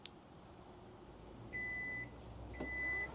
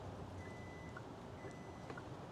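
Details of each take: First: Kia EV9 power liftgate closing by press-and-hold on the key fob with the car off. Short high beeps about once a second over a soft motor whir, ending in a latch thud; normal closing. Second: Kia EV9 power liftgate closed from the dash button when the button was released early, so it stops. Two long, steady high beeps over quiet hum; the warning that the close was interrupted.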